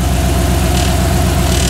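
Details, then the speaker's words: 2nd-gen Dodge Ram 1500 with swapped 5.7 HEMI on Holley Terminator X EFI, idling at 191°F coolant as electric fans switch on: loud fan roar with buzzy flutter, fan rattling on shroud through a gap; foam planned to fix. "our fans just came on oh man we got rattles that's it I'm returning it to eBay where is it rattling from there's a little Gap oh the fan is rattling on the Shroud"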